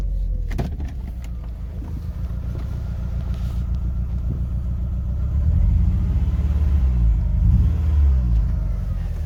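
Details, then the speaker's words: 2000 VW Golf Mk4 GTI 1.8T AGU with a severe misfire through the rev range and a strong fuel smell: low rumble with an uneven, stumbling beat that lurches as revs rise; the cause is a failed ignition amplifier (ignition control module). "I came to a stop, the car had sort of developed a weird misfire, and it was there through the rev range. It made it like driving very difficult."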